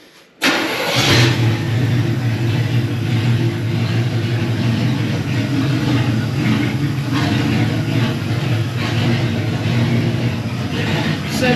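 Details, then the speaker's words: 1972 Chevy Impala parked for a severe misfire, after filing the points a second time: catches after a short crank and settles into an uneven, lumpy idle that hunts slightly; runs rough while the ignition timing is still being dialed in. "see if we can dial in the timing a little bit it's still not totally happy but we're a lot closer than we were"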